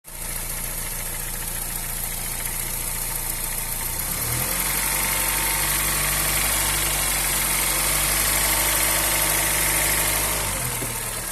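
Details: 2007/2008 Honda Fit 1.5 CVT at idle: a light, even top-end tick 3–4 times a second. Two valve adjustments didn't help, and it isn't the AC compressor bearing. The tick stops when the engine is fully hot, in gear or with AC on; cause unknown.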